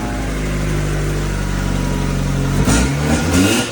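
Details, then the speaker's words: Mazda Miata after the misfire fix, spark plug wires put back in correct order; steady even engine note with a clean rev near the end, no misfire or knock; normal running. "the problem was actually simpler than I thought the wires were placed in the wrong order my dad actually fixed a car for me when I wasn't at home and here's the video of it starting"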